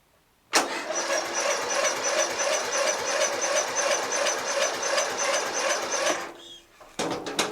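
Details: Murray LT widebody lawn tractor, Briggs 12.5HP flathead, some compression now returned, air cleaner off, choked with starting fluid: starter spins about five seconds, even beats about three a second, never catches; cranks without firing, cause unconfirmed.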